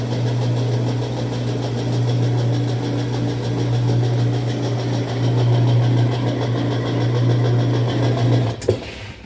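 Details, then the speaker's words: Whirlpool direct drive washer with replaced clutch: even low motor hum with scraping popping sound, drum never gets up to speed; owner suspects the timer; unconfirmed. "it makes like a scraping popping sound as you can hear and it doesn't get up to speed cuz I know it spins faster than"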